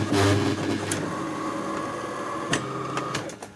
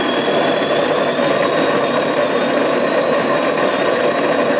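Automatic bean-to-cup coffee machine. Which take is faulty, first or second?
first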